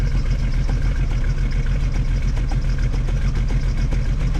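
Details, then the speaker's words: 1995 Jeep Cherokee XJ, rebuilt poorly maintained engine, now on five of six cylinders with hesitation on acceleration: rough idle recorded by hand at tailpipe, steady pop about twice a second from one misfiring cylinder, exhaust rattling underneath; cause not yet found. "I'm gonna put my hand down there by it and you can hear it missing. I don't know if you can hear that pop or not."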